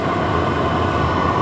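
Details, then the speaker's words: Cheap Chinese clone diesel heater after the off button is pressed: the fuel pump clicking has stopped and a smooth, even fan rush continues; a normal 2 to 3 minute cool-down cycle. "The heater, you must never cut the power off to these immediately. You must let them go through their cooling down cycle, which can take 2 to 3 minutes."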